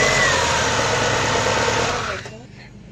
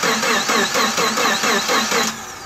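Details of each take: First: First start of a freshly rebuilt Subaru Forester XT EJ25 turbo with a closed-deck 800 hp block, after a crank sensor code was cleared: an even, steady flat-four note with no knocks or ticks; sounds healthy. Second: Subaru Forester XT EJ25 turbo rebuild with closed-deck 800hp block, fuel drained: starter cranks evenly for two seconds then spins down without catching; stored ECU crank position sensor fault code was preventing start.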